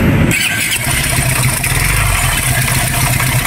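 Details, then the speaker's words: Raider 150 FI show bike used for revving, owner says it suddenly got noisy; catches into harsh clattery idle with rough rumble and metallic rattle, then stalls; problem inside engine, not a tick, cause unknown. "Yun mga Kulaog, hindi ko pa alam kung anong naging problema nito kasi pag mga ganitong tunog, parang parang dump truck na Gago! Kaka na dito mga idol kasi ang problema ay nasa loob, hindi man siya lagitig."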